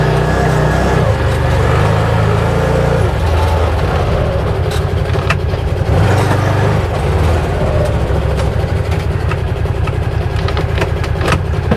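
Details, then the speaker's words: 2022 Odes 1000 Dominator LT after repair of a major surging issue that used to hit at wide open throttle around 45: the engine now runs steady and even under load with no surging or rise-and-fall hunting. It sounds, feels and looks good. "All right. Sweet. Everything sounds good, feels good, looks good. So, you know what? I'm going to call this problem solved."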